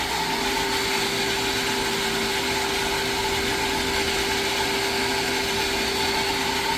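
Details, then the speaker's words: Jetmatic-system water pump after repair, noisy before: smooth, even motor hum with one clean, steady tone and no grinding, rattle or squeal; the pump bearing sounds healthy and quiet. "So yun guys ah. Okay na siya no? Pino na umandar."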